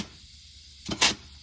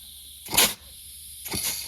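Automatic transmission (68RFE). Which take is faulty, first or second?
second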